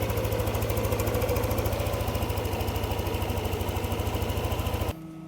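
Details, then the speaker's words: Yamaha NMAX 155 V2 after ECU reprogramming, TPS reset to 0.0 and error codes cleared; previous abnormal idle and sudden stalling fixed. Steady, evenly spaced single-cylinder putter at idle, neither hunting nor dying; idle running properly. "Yung dating abnormal yung menor dagdag pa yung bigla na lang tumitirik. O na siya ngayon."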